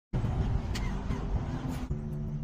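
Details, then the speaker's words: Car with good battery but hard starting; starter found dirty and rusted: cranks with a rough, labouring churn before catching and settling to a steady idle; dragging, corroded, dirty starter. "At parang may nasisilip akong dahilan kung bakit hard starting siya. Ito pa. Naku pambira ang dumi kinalawang na oh."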